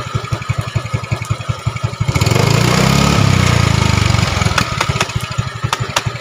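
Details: Yamaha Mio 125 automatic scooter that was rough, smoky and burning oil even after a new block and piston, after top-end repair: even idle thump, clean rise and fall of revs, settling back to a steady idle; runs healthy.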